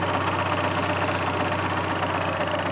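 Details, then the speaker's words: Fiat Cinquecento small petrol engine idling just after cold start: steady gritty whirring rattle; owner suspects clutch thrust bearing, noise only at first start-up and then goes quiet. "You can hear my uh thrust bearing sounds a bit bad."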